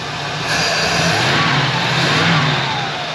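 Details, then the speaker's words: 1978 Pontiac Formula Firebird, first run after 21 years off the road, warming up: engine revs up and settles back cleanly with a smooth, even hum and no loud vacuum sound on throttle; normal revving. "things only getting better and better and you can tell from up here tremendously better we don't have that massive vacuum sound especially when you give it throttle"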